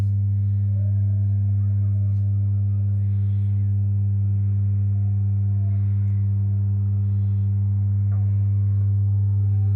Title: December 2020 Can Mackie CR4 Creative Reference Multimedia Monitors buzzing sound be fixed please?